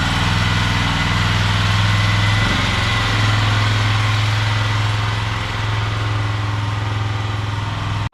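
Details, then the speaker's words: Polaris Sportsman 500 after top-end rebuild, test ride without plastics: single cylinder revving under load with a fast mechanical clatter over the exhaust; source uncertain, owner may check under the CVT belt cover. "well it goes it's got power it seems to be running good but I got this crazy like clattering noise coming from the motor"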